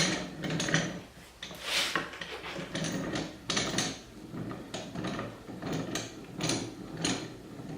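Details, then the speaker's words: Littlestown No. 400 bench vise, about 4-inch jaws, during cleaning and oiling: uneven scraping chatter in bursts as the jaw slides in, smooth on the way out. "so they've got a little bit of chatter to it it's nice on the way out on the way back in it's got a little bit of a vibration to it"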